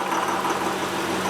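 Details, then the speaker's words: 2005 Honda Pilot idling in gear after slowing down: hard, busy clatter over the hum, sounding like a diesel, worse at idle than when driving; rough idle, cause unknown. "slow down and it's idle here that sounds like a diesel engine"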